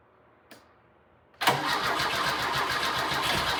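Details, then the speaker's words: 1997 Lada Niva 4x4, 1.7L fuel-injected four-cylinder, parked over 10 years, before fuel pump replacement: quiet cranking, then catches abruptly and runs rough and loud on gas poured into the throttle body; fuel delivery fault. "The first time there's a bit of a click, and then after that you'll hear that the engine does actually spin over."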